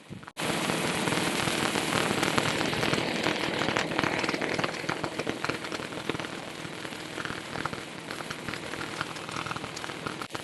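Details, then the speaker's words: Harley Sportster XLCH magneto with a Morse magneto magnet and a Fairbanks Morse coil, spun on a lathe at about 600 rpm: rapid, steady snapping crackle as the spark jumps the gap. The magneto is producing a strong, healthy spark. "yeah that's some serious spark right there I ain't GNA touch it want me to touch it I ain't G to touch it"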